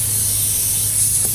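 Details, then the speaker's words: Toro Z-Master 3000 zero-turn mower tire; a long pin or nail picked up after running over something, causing a slow leak that made one side scalp the grass, has just been pulled out; continuous sharp hiss of air escaping through the puncture before plugging. "hey honey I hit a little something with the thing and you hear the air probably coming out"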